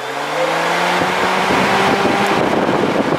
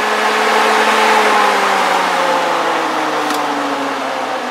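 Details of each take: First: BMW 3 Series electric radiator fan runs constantly with the car off, a steady whirring hum and airflow, because prior odd rewiring joined brown to brown; the planned fix is a switch inside the car. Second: BMW 3 Series electric radiator fan after rewiring: steady airy whoosh over an even motor hum, pitch easing slightly, spinning normally with no rubbing.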